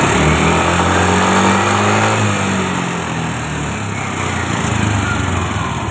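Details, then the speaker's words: Fuel-injected motorcycle that showed fault code 84 (VVA system), after reseating the VVA solenoid connector: engine revs up cleanly, holds and winds down without stumble or misfire; VVA working normally. "Được rồi, các bạn. Ở đây, hệ thống VVA vẫn hoạt động bình thường."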